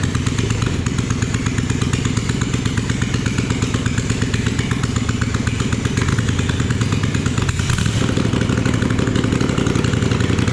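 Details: Junkyard Kohler single-cylinder engine after crankcase reassembly with new seals, first start after repair: steady even thumping run, no knocks or misses; problem found, looks set to be a good runner.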